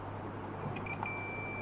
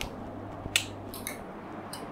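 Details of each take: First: Panasonic 42-inch plasma TV, dead with no standby light: continuity test on Schottky diode on cold side of power board transformer, steady high beep starting partway in and holding; shorted diode, to be replaced. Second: Panasonic 42-inch plasma TV, dead with no standby light, after reconnecting loose cables: a few sharp dry clicks at switch-on as the relay pulls in and light returns; relay click at power-on.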